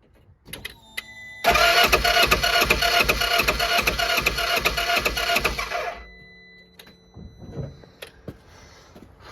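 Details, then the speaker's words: 2014 Polaris Ranger 900 side-by-side, crank-no-start after timing failure, timing mark realigned: steady cranking about two and a half pulses a second for four seconds, never fires; valves likely bent on both cylinders, compression not yet verified. "still no go um I'll verify the compression on this but it's likely the valves are bent at both cylinders"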